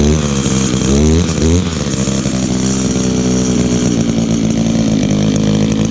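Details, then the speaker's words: Echo two-stroke trimmer almost 18 years old: sharp buzz revs up and down, then settles into a steady high even drone with no stumbling; runs excellent with great compression. "Oh yeah. For a trimmer that's almost 18 years old, it still runs excellent. Still has great compression too."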